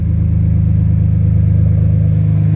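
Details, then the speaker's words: BMW with S54 engine swap, first start after fixing fuel pump and electrical problems, battery charged with booster pack: deep, even exhaust rumble with steady firing pulse, no knocks or misses; normal idle. "And man, I tell you what, that was the most rewarding sound I heard."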